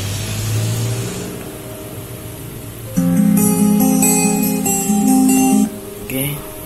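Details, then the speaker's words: JDL powered speaker after replacing a heat-damaged TDA2030 amplifier IC that caused hum: guitar music from an MP3 player now plays clearly with no mains hum. "Kali ini saya mereparasi speaker aktif merek JDL dengan kerusakan dengung, dan ternyata yang rusak hanya sebuah IC TDA 2030, dan hasilnya seperti itu tadi."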